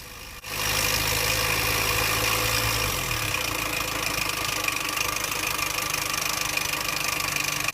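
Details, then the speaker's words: 2007 Mini Cooper Convertible, loud noise from front of engine: engine catches and idles with constant tinny rattle of slack timing chain slapping its guide, caused by a stuck timing chain tensioner; risks guide rail damage. "and uh this is actually due to a stuck timing chain tensioner"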